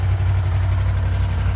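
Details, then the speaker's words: Can-Am Spyder 998 engine started after extended storage using the wide-open-throttle procedure to pump oil to the top end: low, smooth, even idle with no clunking, dry valve or lifter sound, sounding healthy. "I never got a clunking or a dry valve sound, lifter sound. Whereas if I've let it sit and not done that, it sounds terrible. Now this sounds beautiful."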